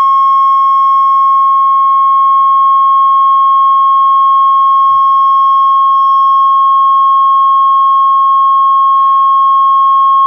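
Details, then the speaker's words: Realtone Globepacer 11-band transistor radio after repair, original transistors refitted: steady ~1 kHz test tone, audio output starts clipping at 5.4 volts; turning bias down adds audible distortion. "yeah it's clipping there let's see 5.4 volts it starts to clip that's loud that's like definitely loud but i'm going to play with the bias here if i turn the bias down you can see the distortion you can hear the distortion there"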